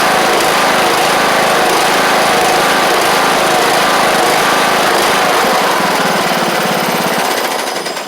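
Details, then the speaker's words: John Deere LA100 mower, 5-speed transaxle, long-sitting, hard starting from valve issues, now running: fast steady single-cylinder patter at constant speed, no misses or stalling; owner suspects failed spark plug and expects improvement with run time. "think give it a little run time. It'll be better. I think if we change the plug out, it'll be a little bit better, too, cuz I bet that plug has failed pretty bad."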